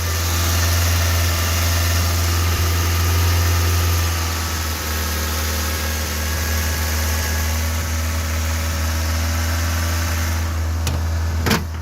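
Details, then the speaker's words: 1986 Toyota MR2 AW11, mid-engined 4A-GE with 5-speed manual, new battery; starts easily and idles with an even, steady low drone, with no knocks, misses or hunting. A normal idle. "runs really smooth"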